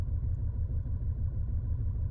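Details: 2010 VW Passat with a flashing check engine light, misfire mainly on cylinder 3 (also 1), valve cover leak noted: low, lumpy idle with an irregular pulsing stumble; misfire at idle.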